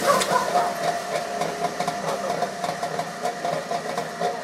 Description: First start of my Trabant 601 after staying in a garage for 7 years.